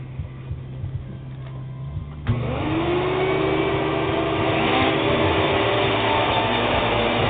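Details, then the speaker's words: Hoover WindTunnel vacuum with cracked neck: motor switches on with a thump and winds to a steady even whine; runs fine, though owner thinks the motor sounds like it may go bad. "the motor kind of sounds like it's going to go bad and there's a crack down here where the neck is but other than that it it runs good"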